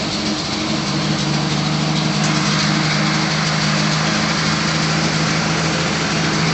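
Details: 1966 Ford Bronco U13 roadster, 200 inline six recently pulled and repainted, ignition and key cylinder replaced, carb with electric choke; starts right up without smoke and idles smoothly with steady low hum, no misses or knocks.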